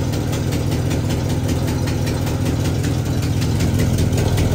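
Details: 1978 Chevrolet K30 V8 after sitting 24 years, first start: uneven, lumpy idle about two to three beats per second; owner suspects carburetor needle and seat issue; rough running.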